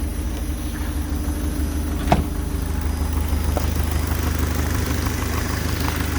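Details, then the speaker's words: Speeduino-tuned engine warming up at idle after correcting badly off ignition timing: low, steady, even idle with no sharp knock. "let me hear that knock is still there so far it doesn't sound like it"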